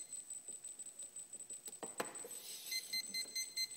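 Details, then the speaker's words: Turnigy Plush 12A ESC on KKmulticopter board in first quadcopter build: thin high-pitched beeps steadily about twice a second, no motor spin; throttle range calibrated and works fine on Spektrum receiver directly, fast-beeps only via board, cause unresolved. "you can hear the constant beeping so i've done a throttle you know throttle range configuration for the esc if i hook the esc directly to the spectrum receiver everything works perfectly"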